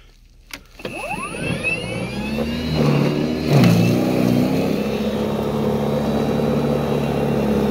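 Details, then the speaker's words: Ryobi battery snow blower on a fully charged battery, after tie-wrapping wires away from the metal pole to stop static discharge: motor spins up with a rising whine, then holds a steady even hum in dry powder snow without cutting out; stalling fixed. "this is a powdered snow about the same consistency as the last time when i was getting the static shock and uh the machine's not stopping"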